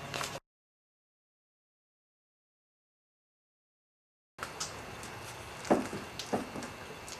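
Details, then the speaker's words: Kawasaki Voyager XII on a jack under the engine: dull single clunks as the front end is rocked, from steering stem bearings that have lost their preload. "We're testing for looseness in the front end. And if you hear that clunking, that's the bearings have come loose. That's preload. There's no preload on this."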